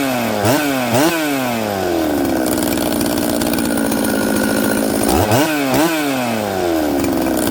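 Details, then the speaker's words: 266XP chainsaw on day two after repairs: idles fine, also when flipped upside down, but each blip climbs sluggishly and lazily to high rpm; hesitant acceleration. "listen to this one it's lazy coming up to high rpm and but it idles i flip it upside down it doesn't seem to have any problems"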